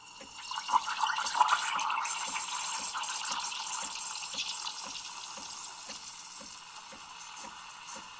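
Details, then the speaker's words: Breville Barista Express or Barista Pro espresso machine steaming milk with one-hole steam tip: soft even thumps about three a second under steam hiss; normal thermoblock pulsing during slower steaming. "so it's gonna be a little slower that way too you can hear the thumping now the thermoblock"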